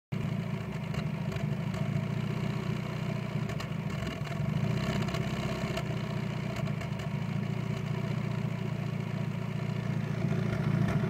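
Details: Mazda MX5 Mk1 petrol engine idling unevenly, low throb stumbling as cylinders miss; misfire at idle and low rpm suspected from Bosch Super 4 spark plugs, fixed by changing to NGK Iridium plugs.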